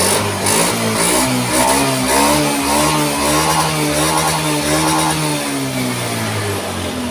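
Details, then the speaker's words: Honda Scoopy scooter after repair of hard starting, stalling and sputtering; fuel pressure now about 4.5, near 50, so the fuel pump is good. It starts easily, and throttle blips rise and fall cleanly with no stumble, which is normal revving. "Ah, hidupnya sudah ringan guys. Ah, gasnya udah enak."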